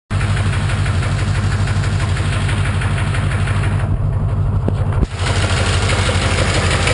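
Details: 1991 Corvette L98 V8 at idle: uneven low knock pulsing about twice a second under the idle, steady throughout; owner suspects rod knock, unconfirmed.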